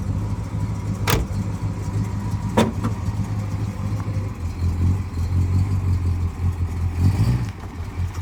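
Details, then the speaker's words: 1962 Dodge Custom 880, once said to have a cracked block, running after a carburetor prime: deep, steady low rumble with a couple of sharp clicks and no knock or miss; owner doubts the block is cracked, runs well, no longer smokes. "I don't think that the block is cracked the engine runs really good and now at this point it doesn't even smoke anymore"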